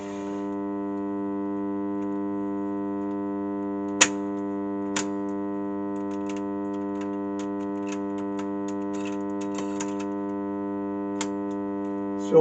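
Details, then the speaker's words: Sound Belle valve tape recorder: a steady low buzz with evenly spaced tones comes up with the valve and holds regardless of the volume control; mains hum blamed on failing smoothing capacitors. "so straight away we know one problem with this uh obviously with anything like this it's always capacitors I mean always capacitors without any Shadow or other doubt it's capacitors"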